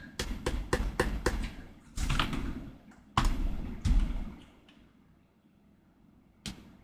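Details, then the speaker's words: Second-generation HomePod with bad bass: sharp irregular pops and deep thumps in bursts about three a second, then die away. Failing power filters causing bass popping; subwoofer possibly at risk. "All right. Yeah, that is some pretty significant popping action there. Sounds like those filters could definitely get replaced."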